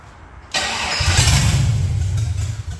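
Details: Project truck with LS swap, after fixing the gas fuel line and plugging the brake booster vacuum and another vacuum line; quiet, then cranks and catches into a deep, steady V8 rumble that settles smoothly into a stable, healthy idle.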